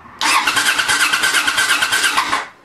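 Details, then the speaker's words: Honda Shadow brought back from barn storage, ignition off, starter cranking briefly on a lightweight battery; brisk, even two-second whir with a regular beat, no clicking or dragging. Normal starter cranking. "I got the ignition turned off and you just crank it for a second here see what happens"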